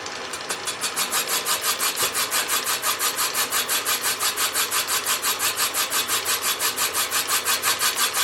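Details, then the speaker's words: Willys Jeep F134 engine being bored .010" oversize, first cylinder: high rasping cut pulsing about three times a second, uneven each turn as the cutter bites only part of the bore, seemingly leaving a hollow; slight shadow later seen. "yeah it doesn't sound like a great cut uh sounds like we're leaving a little Hollow somewhere we'll see what it looks like when we get down there"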